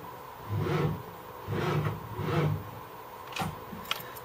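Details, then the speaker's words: 1978 Ford LTD: three short, sluggish cranking groans without catching, battery gone flat; volt gauge reads a bit low though battery voltage checked nominal, alternator still to be checked; oil gauge hardly moves. "huh the battery seems to have gone flat while it was"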